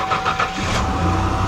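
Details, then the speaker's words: 1991 Mercury Cougar 3.8 after starter replacement and new battery terminals: quick, clean crank, with the starter catching at once and the engine firing into a steady idle. No grinding or whirring; normal engagement. "what you want to do is shut it off a couple do that a few times you want to make sure that started as definitely engages and no issues"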